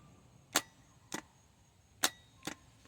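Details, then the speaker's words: Old starter from a 2002–2006 Toyota Camry 2.4 L that cranked only intermittently: four sharp solenoid clicks a second apart, the pinion comes out but the motor never spins. Defective starter. "So now it's not turning over anymore. It's only coming out."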